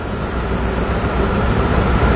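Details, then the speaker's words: 2002 Ford: rough, uneven idle from a huge vacuum leak; short-term fuel trims swing strongly negative then back positive while O2 sensors read pegged lean, unable to correct. "the fuel trims are going really negative on a huge vacuum leak now back up positive again"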